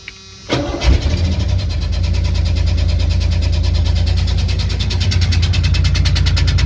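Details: 1985 Chevy S10 just swapped from a 700R4 automatic to a 5-speed manual with new clutch, cold start: catches quickly, settles into fast even cold idle, no shake or miss; normal cold start and idle.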